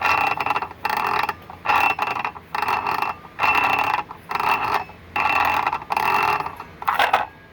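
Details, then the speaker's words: New Ryobi PBLCS300 brushless 7-1/4" circular saw, unpowered with no battery, blade and spacers installed correctly: bursts of fast ratchet-like clicking each time the blade is turned by hand; cause unknown, owner unsure if normal. "but when i went to install the blade i noticed this so it's making this noise"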